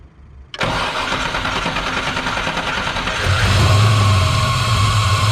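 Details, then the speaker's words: Muscle S10 after machining the mount for power steering pump pulley alignment with crank and fitting a new belt to cure a squeak: engine catches and settles into steady warm idle, even low hum, no belt chirp or squeal; fix works. "I'm gonna let that warm up for a bit and hopefully that solves the issue it does"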